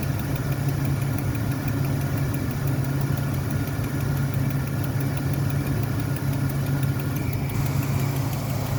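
Steady idle with a faint, fast, even clicking on top that keeps pace with the engine. Cause can't be told from this.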